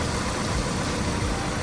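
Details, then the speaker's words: Honda S2000 after rod bearing replacement and valve adjustment to cure a faint intermittent ticking/rattle, new oil filter and fresh oil: smooth, even idle with steady low hum, no ticking or rattle; fixed, fans running. "It was the very first time I've ever cracked into an engine, so I'm very glad that it works well now."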